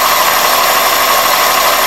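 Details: 2001 Toyota Corolla at idle: steady high whistle near 1 kHz over smooth idle, intermittent on throttle blips; persists with belt and IAC removed; fixed by cleaning dirty throttle plate and IAC valve and fitting new throttle body and IAC gaskets.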